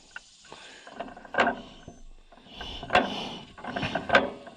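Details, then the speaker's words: 1936 John Deere A auction find, hand cranked on a revival attempt: magneto clicks with a faint spark snap about every other click, well over a second apart; weak magneto spark, slight signs of life. "Okay, it should fire every other time, obviously, when you hear it click. So not that time, but this time. Okay, well, we have slight signs of life. Ever so slight."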